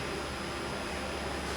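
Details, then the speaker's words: Leak-down test at top dead centre, reading 60%: steady even air hiss heard through a hose at the dipstick tube, meaning cylinder air is leaking past the piston rings into the crankcase. "of them more prominent in the dipstick cop so what that's telling me is there's air leaking past the piston rings and into the motor"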